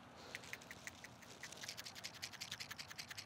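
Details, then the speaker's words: Brand-new PCV valve shaken by hand: crisp, free metallic rattle of two or three clicks a second. The valve operates correctly. "is a brand new valve so it is operating as it should as you heard it rattled and it moved freely"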